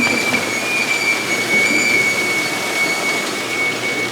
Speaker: you hear that squeaking that's just a lot because all those potatoes are a lot of weight on the washer but it's not going to hurt nothing